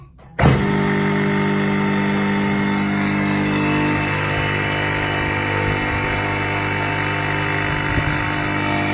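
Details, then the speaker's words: Repaired 240V 3hp single-phase 2850 rpm motor, broken end casing fixed, bearings and plastic fan refitted, temporarily wired off a 16A plug, on a wooden bench: kicks on to a steady even hum with slight bench buzz; normal motor run. "there we have it a bit noisy on the wooden bench let's just lift that off there put it down onto the floor"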